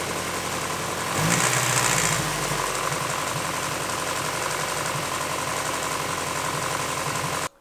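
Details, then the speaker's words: Engine idling before an aftermarket timing belt tensioner is installed, with the factory tensioner maxed out. The idle is uneven, with a light, irregular slapping patter from the front as the loose timing belt visibly flaps. "there's the belt is moving like that and it's pretty pretty loose"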